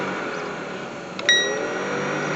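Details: 2001 Lincoln Town Car blower motor powered directly via test probe: steady whir, brief probe clink, spins freely; motor good, blower resistor or relay suspected instead; normal blower motor running.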